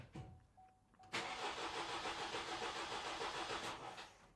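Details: 2018 Vauxhall/Opel Astra K 1.6 CDTi with intermittent starting and codes U18A2, P12A6: the starter spins the diesel about three seconds with even cranking beats but it never fires. The fuel pump doesn't run during the actuation test; a pump connector terminal was found corroded and open.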